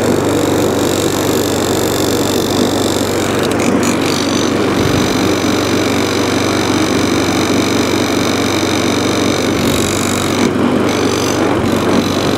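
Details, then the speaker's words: Discarded 2017 HP hand-propelled 185 single-cylinder lawn mower holding a steady, busy run with a slightly uneven, shaky note; mild vibration, suspected bent crankshaft or damaged blade, not confirmed. "So, it is a little bit shaky. Which could just be um uh a bent crank, blade damaged. Not a lot though."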